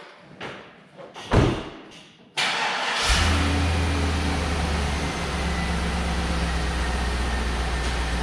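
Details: Truck started after installing home-built towing 4L80E transmission, transmission and transfer case filled, exhaust and driveshaft back on: short crank, prompt catch, steady even idle with low hum and no knocks; healthy start and idle.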